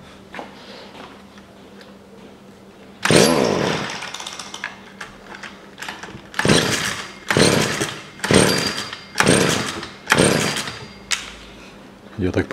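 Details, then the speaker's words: Stihl FS 55 petrol trimmer that starts then stalls: catches in short bursts about once a second, each surge dying instead of reaching full revs, then stalls; fuel or carburetor issue suspected, suspicious-smelling fuel. "Сегодня у нас вот такое чудо бензиновая коса что-то заводится и глохнет товарищ притащил говорит возьми перебейнос чтобы уходил Ну она не развивает оборотов"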